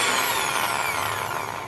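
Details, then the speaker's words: Skil drill (original Skil) after repair: noise was caused by a wire preventing the housing from closing and screws not tightening; now a clean motor whine falling smoothly as it coasts down, no rattle or grinding, running perfectly. "funcionando perfeitamente a máquina não tá mais com aquele barulho"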